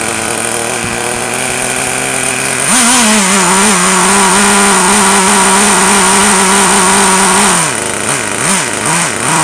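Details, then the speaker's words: Traxxas T-Maxx nitro engine, cold start, finally fires: steady high-pitched scream holding revs evenly, then blips up and down cleanly; running properly. "Maybe left more crank it all right it's a little oh wow sweet that's working good"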